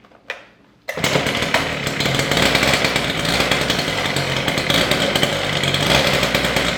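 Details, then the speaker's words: Husqvarna K760 cut-off saw after a top-end rebuild (new piston, rings, pin, cylinder, carburetor; old piston badly scored, rings worn), run unloaded: the two-stroke catches after a pull and holds a crisp, steady high buzz, running healthy. "All right, I got this saw completely back together. I did start it once, and I think she's running pretty good."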